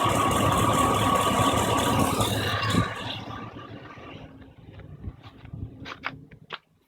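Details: GM 5300 Vortec V8 with three of eight spark plugs very loose and vibrating: engine runs with fast uneven rattle about four ticks a second, then shuts off into scattered clicks; misfire and hard starting, reduced by tightening plugs.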